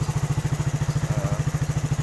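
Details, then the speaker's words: Suzuki Satria FU 150 after rebuild with aftermarket KW cylinder block and valve shims: even thumping idle about twelve firings a second, steady, no knock or miss; quiet and healthy, earlier heavy smoking fixed. "oke teman-teman Bisa lihat sendiri inilah suara dari mesin Satria senyap"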